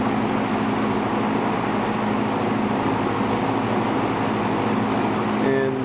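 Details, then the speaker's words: Vintage McGraw Edison Zero box fan, about 1970s, just cleaned and motor oiled front and back after years; steady whoosh with low even motor hum and the faint constant buzz it has always had, cause unknown; runs smoothly, no rattle, normal running. "fans just don't get that same startup sound and this one has always had a buzz never never did know why but it just wouldn't be the same without it"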